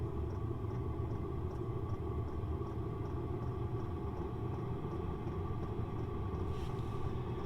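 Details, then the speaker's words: 5 kW diesel heater heating a trailer, four-foot exhaust extension, fairly full tank: steady burner roar, fuel pump clicking and fan hum ramping up during startup; normal running. "you can hear the fan ramping up you can also hear the pump ramping up"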